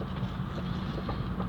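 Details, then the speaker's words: 2010 Chevrolet Astra on the road: heavy front suspension noise with sharp knocks even over small ripples; sway bar links found with excessive play and worn upper strut mounts on both sides. "É um barulho muito forte na suspensão dianteira, tá? Não precisa nem estar passando em buraco muito forte, não. Pequena ondulação já na pista, já está fazendo."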